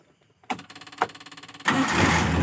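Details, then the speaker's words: Carbureted engine that was hard to start, sputtering and weak, after the solenoid valve needle was removed and the battery charged: about a second of even cranking, then fires straight into a steady idle; normal start. "dan responnya bagus jadi sudah normal ya sudah bisa di starter langsung hidup kita coba sekali lagi"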